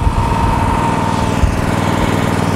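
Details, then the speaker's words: Miller Trailblazer 325 EFI, metalworking grinder running on XL power receptacle: steady, even drone at 2400 RPM idle, no hunting; engine stays at idle, quieter than the grinder. "engine stays at idle which is 2400 RPM and to start up the grinder you'll hear what the engine does right Grinder's louder than the engine engine didn't do anything it's at idol"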